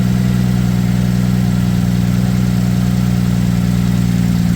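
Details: 2007 Ford Edge SEL AWD 3.5L V6 after replacing fuel injector #6 (open/short code, rough idle, flashing check engine light); steady even low idle, no misses, stumbles or ticking, check light no longer flashing: normal idle.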